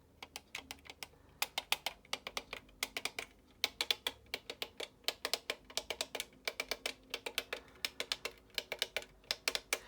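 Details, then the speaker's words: Testing the remote of the Spitfire Mk1A 1:18 scale model. Crisp plastic clicks in quick irregular bursts, one snap per press; each button is pressing its inner switch properly. "So that click noise means that the buttons are working, they're pushing against the little button inside."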